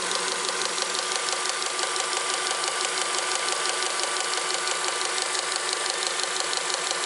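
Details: Honda Accord 7th generation, engine running, under the hood: quick, even knocking about three per second under a hissy whine. The power steering pump is knocking.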